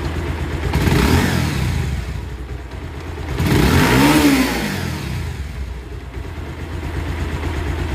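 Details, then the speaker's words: Pulsar motorcycle single-cylinder engine after engine work and full service (new spark plug, air filter, engine oil, shocks, ball racer): two clean rev blips settling to steady idle, no knock or rattle; sounds very good, normal revving. "একদম সুন্দর সাউন্ড।"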